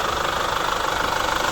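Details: Chevrolet Captiva FL diesel with weak pull, noisy turbo, smoke on acceleration and hard cold starts, held at 3500 rpm: a rough pulsing turbo growl over the engine; fixed by replacing the turbo hose, throttle elbow bracket, injector rings and injector CVs.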